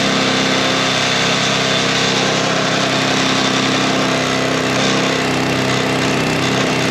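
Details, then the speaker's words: Sweepster TR-48 sweeper's small gear-reduction petrol engine running during repair test: steady, even buzz with no misses, knocks or hunting; healthy running. "This is the motor. It's got a special gear reduction on it. The motor runs great."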